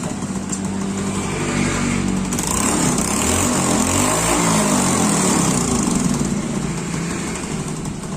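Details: Honda Beat fuel-injected scooter that had died on the road and wouldn't start, after a fuel pump fix: a steady, even idle with a quick regular beat, no stumbling or hunting. Normal idle after repair.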